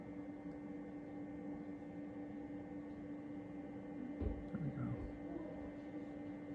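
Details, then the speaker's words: XW Pro hybrid inverter charging four batteries and house loads: quiet until grid is enabled, then an even electrical hum at one pitch with a faint whine above it. It hums loudly on grid, cause unknown. "but I just want you to hear if I turn the Grid on here how loud this gets"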